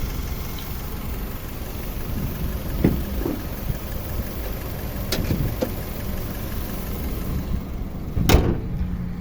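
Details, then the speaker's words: 2002 Honda CR-V Gen 2, 2.0 engine, automatic, never run on gas: low, smooth, steady idle rumble with a few door and handling clicks, very quiet, no stumbling, no smoke or blow-by at the dipstick. Normal idle. "ผมโอเคมาฟังเสียงเครื่องยนต์ครับนี่ครับคุณลูกค้าเครื่องเงียบมากๆเลยนะครับไม่มีสะดุดนะครับผม"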